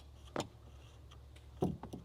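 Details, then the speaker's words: Electric fuel pump under the back seat getting about 9 volts on crank: sharp, irregular clunks as power is held on, but it never spins up; pump is seized. "there's no pump so the fuel pump's stuck so we're going to hold some power on it give the tank a bit of a wallop and see if that makes a difference"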